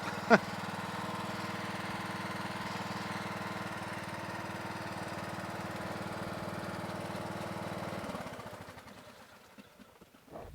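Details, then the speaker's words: Craftsman LT1000 lawn tractor: steady, even note holds speed for eight seconds without hunting, then winds down at shutoff; carburetor runs clean with no surging, which was a big problem with it; normal running. "As you see, the carburetor works great on this model. No surging. Surging was a big problem with this."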